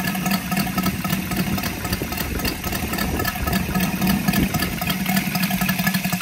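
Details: Brand-new Saito FG-73 five-cylinder radial, fully upgraded with Morris Mini Motors hardware and exhaust ring, on a Biela 20x10 four-blade prop (600–5500 rpm): steady, even beat with crisp exhaust bark, no knocks or missing pulses; normal, healthy running.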